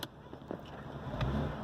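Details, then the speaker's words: BMW 535i petrol, rough idle about a minute after start: low uneven rumble with sharp clicks, engine shaking, misfire and smoking; suspected bad spark plugs and faulty O2 sensors. "let's look at that look at that Idol it's ready to engine shaking it's a rough idle"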